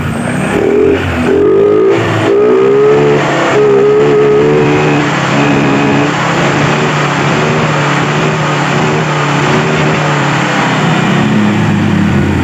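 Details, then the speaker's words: Honda Vario 125 scooter, after repairing the broken speed sensor wiring at the final-drive gear: the engine pulls cleanly up through the revs with a smooth rising note and no stumble or bog at high rpm; normal high-rpm acceleration. "ya akselerasi pada putaran atas ini normal kita matikan berarti ini jelas ya permasalahnya cuman di bagian kabel ini ya"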